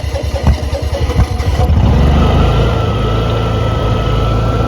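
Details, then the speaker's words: Honda EU6500is generator with no spark, fixed by replacing the failed GCU after about 2 years stored in a shed: catches and settles into a steady, even hum at 3,300 RPM, green output light on, battery charging. Runs healthy. "we got our green output indicator on. So we're running at 3,300 RPM. Battery's charging up, which is a good sign."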